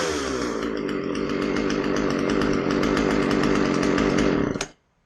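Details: Husqvarna 136 chainsaw after a carb rebuild (fuel line was rotten and dirt had entered; it would not start or run properly before): a crisp, steady high-revving two-stroke buzz holds clean without bogging, then shuts off. It runs healthy.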